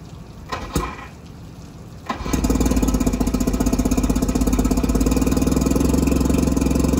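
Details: Mercury 650 outboard on a boat, unrun since being winterized in 2017, water on and jump-started from a truck: quiet handling, then it fires at two seconds and settles into a steady, even putter of about three beats a second. Runs clean after long storage.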